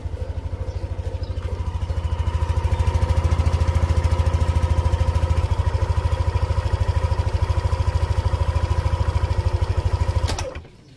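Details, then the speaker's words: Motorcycle at 1,583 km, just after an oil change and oil reset: steady, even putter about two hundred beats a minute, no knocks or rattles, then shuts off; engine idles very quietly and smoothly. "So yan mga ka-rides, kung napapansin nyo, ang tahimik ng makina natin dito."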